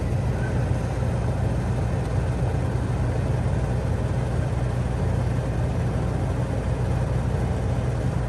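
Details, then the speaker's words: Coleman Mach 3 NDQ rooftop RV air conditioner switched to fan only after a loud compressor shut-off: steady low whoosh of air with no knocking, about as loud as the Truma with its compressor on; normal fan operation. "And that's fan only. That's about what it sounded like with the Truma with the compressor on."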